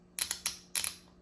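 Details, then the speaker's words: Shift solenoid from 1993 Honda Accord transmission (car delaying 1st–2nd shift to 4,000–4,500 rpm), bench-tested after brake-cleaner cleaning: crisp, sharp clicks in quick succession, snapping cleanly; working fine; normal solenoid operation. "So the shift solenoid that I'm testing right now seems to be working perfectly fine."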